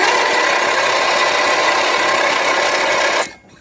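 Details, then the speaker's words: Briggs 12.5 hp side-valve engine that won't start, spark confirmed: fast, light cranking with no firing; compression too weak from an intake valve not seating, with odd foreign-object marks between head and piston; valve clearance adjustment. "ale coś jest nie tak coś jest nie tak kompresja albo jest za słaba"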